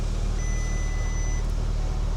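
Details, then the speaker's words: Audi S1 bought as non-runner, engine running at first start with a weird clutch noise; one clear steady beep of about a second from the dash for an alternator fault; alternator fault warning chime. "Oh, there you go. Alternator fault, battery not being shot. That explains why this belt is probably sitting here then."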